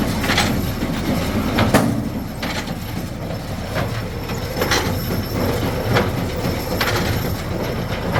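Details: Old square baler driven by an LS tractor PTO after repairs, including a fixed PTO shaft and freshly lubed chains: steady chain and gear clatter with a heavy plunger thump roughly every second. The baler is running empty and sounds healthy.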